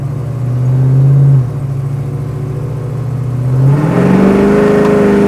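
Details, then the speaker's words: 1970 Chevrolet Chevelle Malibu SS clone restomod, big-block V8, accelerating at about half throttle: deep smooth burble climbing cleanly in pitch, no misfire, knock or whine; healthy, fast pull. "i i didn't know nowhere shape or form apply my foot hard on that gas pedal that was plenty i was about halfway"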